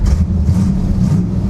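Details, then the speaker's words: 1963 Chevy Nova 4-door, 283 small-block V8, heard from the cabin after a quick new exhaust with mufflers and a balance tube: deep, smooth low rumble with no rasp or leak ticking; healthy, tough exhaust note. "this thing sounds Pretty tough, actually. I'm impressed for a very, very, very quick exhaust system."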